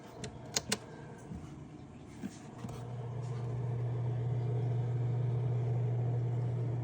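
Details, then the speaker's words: Fluval aquarium canister filter (other unit beside repaired FX6): a few light taps, then low smooth steady hum, no chatter or rattle; running normally. "I mean there's definitely sound coming from it that's how you can tell that it's actually working but there's no chattering no abnormal noise from this one"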